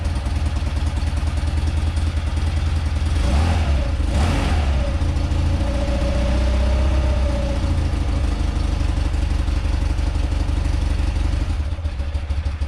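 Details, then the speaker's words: Ultra-rare twin motorcycle, one of 286, first run after refitting the carb bowl, on full choke: steady even low thump at idle with a couple of quick clean blips; runs healthy. "like that nice that's all i wanted all i wanted to do is hear it run hear it you know rev up a little bit"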